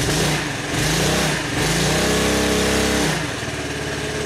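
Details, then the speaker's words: Honda Helix CN250 250cc salvage scooter after refilling with fresh fuel: idle still slightly uneven, but revs climb and drop cleanly on throttle blips with no bogging. Normal throttle response. "alright guys the idols still a little bit funky I might need to increase the idol but throttle is responding very well so I think the gas definitely helped"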